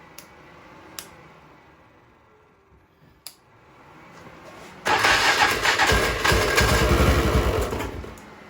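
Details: 1996 Polaris Magnum 425 4x4 with starting fluid sprayed in: after a quiet spell it catches and roars unevenly for about three seconds then dies; varnished carburetor with wrong-size jets later found.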